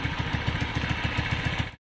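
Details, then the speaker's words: Suzuki Spin single, rebored for fast oil use yet still rough with a clattering top end despite tightened valves; after replacing the camshaft, worn behind the lobes, it gives an even, steady putter at idle with no clatter; normal idle. "Nah habis diganti apa itu noken asnya ini sudah halus ya teman-teman ya"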